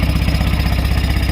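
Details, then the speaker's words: Tata Ace Mega XL diesel after repair of a key-start fault (sulphur-corroded connector behind the ignition key lock): starts on the key, fast even diesel chug at idle with steady pulses, no misses; normal idle. "ইনশাল্লাহ এখন গাড়ি এখন success."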